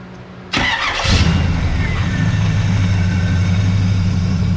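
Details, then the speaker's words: 1982 Camaro, near-stock V8 with years-old gas and homemade side pipes: a harsh gritty grind as the starter engages, then the V8 catches and settles into a steady rumble; owner suspects a bad section of the flywheel. "yeah I think that uh flywheels got an issue there's like a section there that's no good"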